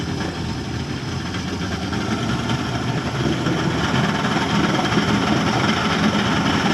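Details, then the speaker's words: Boat with a newly swapped 200 hp outboard, idling in the water after the engine swap. Good water pressure and running cool, though the owners say it sometimes sounds a bit weird. Steady low burble, about three beats per second, no knocks or misses. Normal idle. "seems to be running good seems to have a lot of water pressure seems to be running cool sounds a bit weird sometimes"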